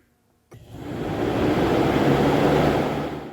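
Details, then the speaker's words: C5 Corvette cooling fans commanded to highest speed (fan relays 1, 2 and 3) via Launch CRP919EBT scan tool; steady even rushing air, no rubbing, ticking or wobble; both fans confirmed working normally. "now we know 100% for sure that both of our fans are working."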